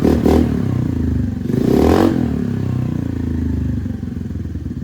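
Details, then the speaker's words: Honda NAVI after carb tuning: quick throttle blips, revs fall straight back to a steady, even idle each time without hanging, even while foot braking; normal return to idle. "right back down. So no problems whatsoever."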